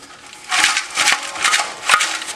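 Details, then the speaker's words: 1996 Honda Civic that lost power uphill and made a racket underneath when accelerating: the removed old muffler is shaken, four loose gritty rattling bursts of debris sliding inside. Broken-up packing had plugged the muffler; a new muffler has since been fitted. "what it was doing is loading up loading up with that stuff and plugging up the muffler and the racket that we heard uh we'll get that taken care of"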